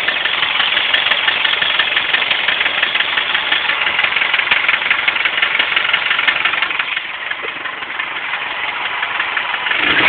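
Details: Subaru Impreza EJ25 that suddenly began idling rough and clicking after coming off the highway: loud, sharp clicking about three per second over a rough, uneven idle; the owner suspects a spun bearing, but this is unconfirmed.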